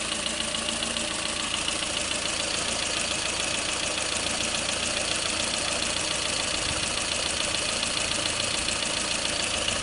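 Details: Lada Kalina engine at steady idle with a fairly regular light, sharp metallic tapping about two per second; engine knock, cause not confirmed.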